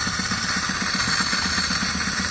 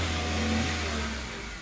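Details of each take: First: 2013 Chevrolet Spark 1.2 with code P0352, ignition coil already replaced: rough, lumpy idle with hard uneven beat, severe misfire on two cylinders, no spark at cylinders 2 and 3 coil, caused by a wiring fault. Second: 2013 Chevrolet Spark 1.2 with code P0352 misfire on two cylinders, coil already replaced; real fault was wiring with water in ECU; after temporary repair the engine runs evenly, easing down from a light rev with no misfire.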